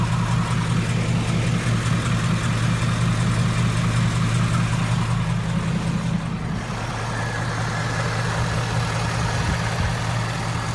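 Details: 2015 Ford Mustang GT V8 at idle: light, fast ticking from the passenger-side cylinder head riding on a steady idle rumble; owner suspects a cylinder head issue, unconfirmed.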